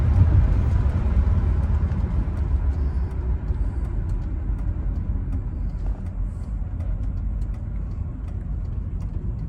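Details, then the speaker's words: 1985 Mercedes 500SEC Euro spec, high mileage, while driving: deep uneven puttering under the engine drone, loose pulses a few times a second; owner suspects a misfire rather than an exhaust leak; exhaust puttering. "doesn't really sound like a bad exhaust Le but you can hear the puttering and that might be because of the misfire"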